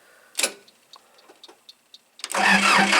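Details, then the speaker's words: 2002 Gehl SL7800 skid steer diesel with an air-heater start aid, on a very hot day. A few light clicks, then a sluggish, labored crank of about four beats a second. Owner suspects a weak battery, having missed putting it on the charger for the first time in about a week. Slow cranking. "now I know it sounds like it's not turning over very fast it's not I mean I usually keep the battery charger on here and it's first time I've missed with this in about a week so probably need to put the battery charger"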